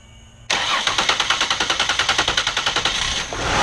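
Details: 2001 Ford Escape 3.0L after fuel pump replacement (fuse and battery reconnected): short crank with quick even pulses, then it catches and settles into a smooth steady idle; starts and runs normally.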